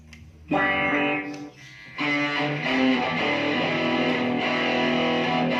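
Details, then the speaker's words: AX1000G guitar multi-effects after repair of noisy ambience and modulation: clear strummed electric guitar with smooth chorus shimmer, no hiss or crackle; clean effects output. "oke setelah kita perbaiki kita coba lagi kita Perbaiki masalah suara belai dan modulasi"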